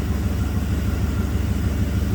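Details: 1990 Camaro with 5.0 Tuned Port Injection V8, 29,000 km, that had a random misfire and stored code 42 (electronic spark timing); idling after codes were cleared with spark timing 11–14°; smooth, steady rumble with no misfire pops.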